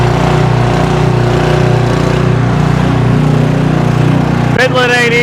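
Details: Generator that sat unused in a garage for at least ten years, running again after a restart: the small single-cylinder engine holds a steady, even drone with no misses, then a brief high chirp near the end; running properly.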